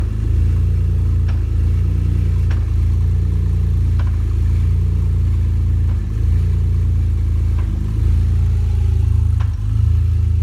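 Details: BMW E46 330xi engine running steadily with a sharp, deep knock breaking through roughly every one and a half seconds.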